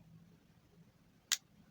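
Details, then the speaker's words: Refrigerator defrost timer turned by hand counterclockwise in a quiet room: two crisp mechanical ticks about half a second apart as it steps normally; a different "krek" sound marks a change of contact position. "Bidayah cari yang perputarannya Pak bunyinya tuh beda nah ini masih ketik-ketik"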